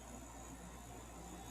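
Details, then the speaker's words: Fedders 7500 BTU AC on low fan, cooling well after its condenser coil was cleaned: a steady low hum with a soft, even airflow hiss and no rattles or knocking. The earlier loudness as head pressure built is gone. Normal running. "But it's super smooth and quiet. There's plenty of air flowing through the condenser. Nice and cold. I have it on low fan right now."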